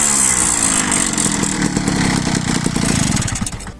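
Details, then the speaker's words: Peugeot Ciao moped with a new Polini 65cc two-stroke kit, revved stationary with the airbox fitted: buzzy revving with smooth intake and no scraping or clacking, which appears when the airbox is removed; normal intake noise. "Donc, on va commencer bah avec la boîte à a déjà là. Je vais te faire écouter en statique. Tu n'as pas de grattement."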